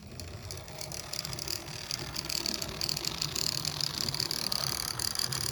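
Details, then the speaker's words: N gauge Duchess of Hamilton locomotive after Hornby decoder fit with Digihat kit: light irregular clicking over motor whir running in reverse, from an intermittent tender pickup; pressing down on tender fixes it. "Um, that clicking noise you can hear in reverse. That's one of the pickups in the tender."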